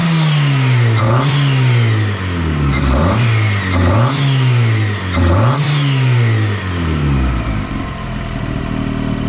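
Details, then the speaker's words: Turbo Miata first start after finishing 3-inch exhaust, untuned and base timing unchecked: revs rise and fall unevenly, hanging on the way down; runs rough, needs injectors, wideband and tuning. "she runs. She doesn't run the greatest. Needs a lot of tuning,"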